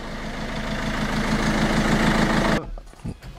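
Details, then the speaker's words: Peugeot 307 diesel after repair: even idle clatter, no shake or misfire, steady enough to balance a two-euro coin on it, then clean shutdown; repaired, healthy idle. "elle tremble plus elles se disent on pourrait mettre une petite pièce de deux euros sur le flanc qu'elle voudrait pas"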